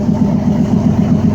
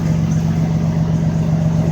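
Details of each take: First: 2004 Dodge Ram 1500 V6 after replacing both driveshaft U-joints (Master Pro at rear): steady low drone with mild even pulse, no clunking or shudder; driveshaft rotating smoothly. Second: 2004 Dodge Ram 1500 6-cylinder, engine running with the driveshaft rotating, viewed from the driver's side: rhythmic low throb about four times a second as the driveshaft wobbles from play in worn U-joints; U-joint then replaced.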